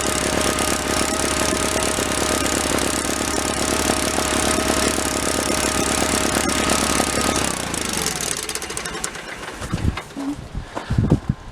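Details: 1985 Case Ingersoll 448 Hydrive garden tractor, Onan B48M/B38M twin-cylinder: runs steady and even about seven seconds, then shut down to quiet handling sounds; fuel delivery normal, normal running.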